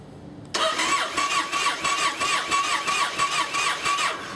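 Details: Yamaha Raider/Roadliner/Stratoliner V-twin, hard start: starter cranks in uneven churning pulses without catching, and idle is rough once running. The cause is a cracked fuel pump housing starving the engine of fuel.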